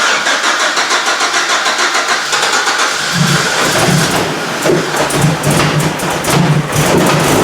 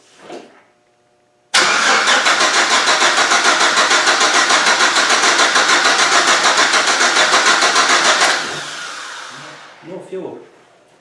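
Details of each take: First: GM Vortec engine project, petrol, first start after fixing the missing fuel pump ground, no coolant in it: starter churns about three seconds, then the engine fires and settles into an even, steady run. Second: GM Vortec engine project, petrol, crank with no fuel delivery: steady fast starter churning, about three beats a second, for seven seconds with no catch; traced to a missing fuel pump ground, fixed with a temporary ground.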